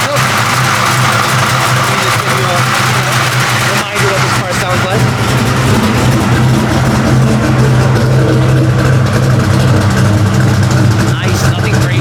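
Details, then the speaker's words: 1989 Ford Mustang notchback Fox body V8 with Brawler series carburetor, started cold without warm-up: loud, steady, even rumble with slight lope; clean normal cold start and idle. "so give it a Kick let you know that it still works nicely I'm tickled"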